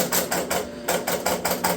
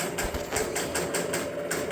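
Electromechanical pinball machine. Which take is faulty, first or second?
second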